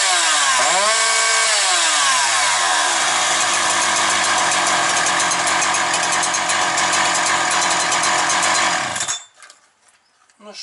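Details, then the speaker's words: Husqvarna 365 chainsaw with a Walbro carburetor, post-sale check. It spins up quickly and holds a clean, steady high-rev scream at full throttle with no surging or dropouts before shutting off. Running perfectly. "хочу сказати, ідеально працює."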